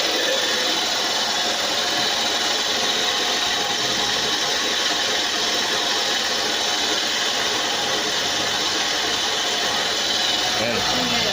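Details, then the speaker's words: Mitsubishi Lancer, after no-start fixed and arcing high-tension wire replaced: idle with loud hissing whir, source not yet traced; still under observation. "so ayan at yung ingay na lang na yan ang obserbahan natin kung saan galing."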